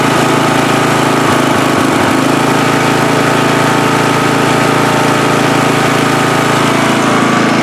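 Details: Free riding mower on a first start test after its gas tank was drained and fuel was added by hand amid flooding: the small engine holds a steady, even drone with no misses or knocks, a healthy run.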